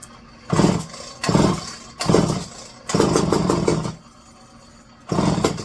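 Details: Electric-start McCulloch 510E chainsaw: five short sputtering bursts on the starter, each dying after about a second; flooding badly; owner suspects the carburetor is faulty.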